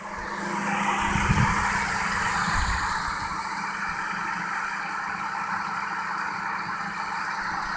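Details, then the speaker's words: Chrysler Concorde 2.7L, first startup after timing chains, guides, tensioner, cam gears and water pump replacement, left idling: steady even low hum with no misses or rattles; normal idle. "this is our first startup after a major job so we're just letting it sitting idle we're gonna let it sit here for a while"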